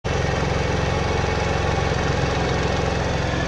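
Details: Scooter at idle with a new variator (rollers 3×7 g and 3×8 g): harsh rapid knocking rattle at about three beats a second from a sticking variator bushing; it cleared after revving the engine.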